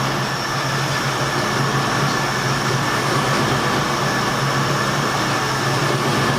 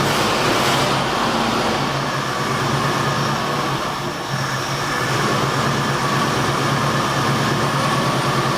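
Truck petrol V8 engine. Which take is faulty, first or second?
second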